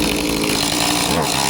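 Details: Echo CS-2511T chainsaw after cleaning a clogged spark arrestor screen, which had kept it from revving up: high, buzzy two-stroke note holds steady and strong with no stumbling or sag; running cleanly.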